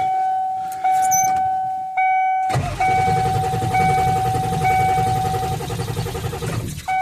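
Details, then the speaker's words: 1995 Ford F250 7.3 turbo diesel, parked on a hill on a cold night and unstarted for a week; filter bowl found empty and refilled: starter cranks steadily under a warning chime but never fires. Suspected airlock or lost prime, possibly running off an empty tank. "yeah that don't sound good that don't sound good guys at all still looks like we're cranking and no"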